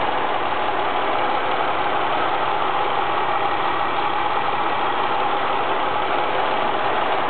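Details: ST220 engine idling after the TSB 24/2009 camshaft bearing cap repair: steady, even, smooth hum with the earlier rattle gone, no ticking; normal healthy idle.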